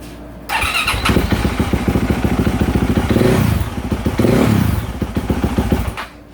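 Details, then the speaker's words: 2024 Yamaha YZ450F after overheating repair and fresh oil, first start on choke then restarted choke off: starts cleanly into an even steady thump, blips and settles, no clinking or clacking; healthy. "runs and it sounds good let me open this door get that get them FES out of here yeah she runs she sounds good I don't hear anything clinking clacking or anything like that"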